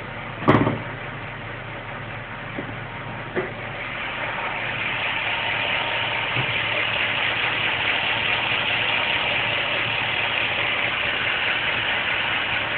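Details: Ford BA XR8, Boss 260 5.4 L V8 at 56,000 km, warm idle: bright, uneven tick-tick-knock-clack about two per second, only when warm; worn valve guides from narrow head cooling passages (factory defect), both heads, left bank worse.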